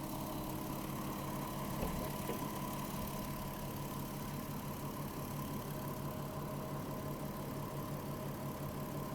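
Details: VW Touareg with a low oil pressure warning, bonnet open after about 25 km in an hour with two HC-oil-based flushes added: steady even idle, smooth low hum, no ticks or knocks; engine running healthy.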